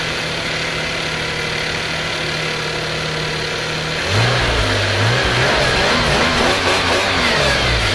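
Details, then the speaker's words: Subaru EZ30D flat-six on a cold start after installing an EZ36R intake manifold/throttle body adapter with a flashed ECU tune: it settles into a smooth, even idle with no knocks or misses; it idles well. "And this is a cold start. This car wasn't prepped beforehand. Start it up."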